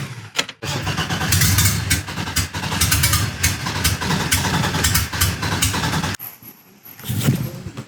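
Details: BMW E30 widebody with Megasquirt ECU, start after fan and fuel pump prime: starter cranks briefly, engine catches and settles into a steady, even run, no knocks or misses; normal start.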